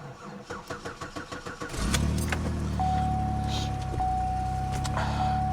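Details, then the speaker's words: Car cold-started at around 15 degrees: slow, laboured cranking at about four compression pulses a second for nearly two seconds, then it catches and settles to a steady idle. Owner thinks the starter needs replacing. "Thinking a starter is going to have to be replaced."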